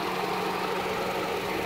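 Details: 1991–95 Ford Escort LX electric cooling fan forced on by removing the PCM-controlled relay's ground during diagnosis; steady, even whoosh with a low hum and no ticking or rubbing, normal fan operation.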